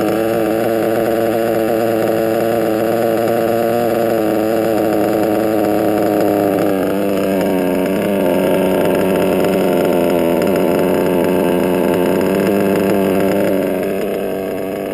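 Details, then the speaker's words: Modded Reds R5R .21 RC nitro engine, warming toward about 200–238 degrees as tune changes: high, buzzy idle that won't drop; bottom-end needle too lean, being richened in small increments. "so i noticed that after i was running it it would rev a little high so which is telling me that it needs to be richened on the bottom"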